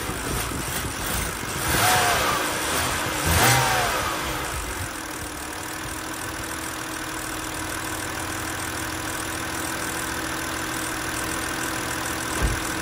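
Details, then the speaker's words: 2006 BMW X3 E83 petrol six-cylinder after swapping cylinder 3 ignition coil for an intermittent idle misfire (fault code 29CF): after a couple of blips, settles to a smooth, even idle with no stumble; misfire gone. "so the misfire is gone clear these folds"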